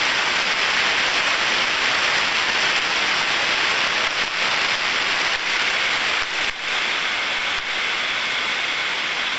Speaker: so from that sound far we can hear the large level of white noise as as the grease gets applied we hear the friction reducing so the ultrasound starts to reduce